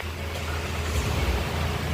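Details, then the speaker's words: Hyundai new Creta petrol that would not start, running after the faulty relay was replaced: steady deep engine rumble right after cranking with no misfire or stumble, starting and running cleanly. "చూసారా vehicle వచ్చేసి start అయిపోయింది. మళ్ళీ of చేస్తాను."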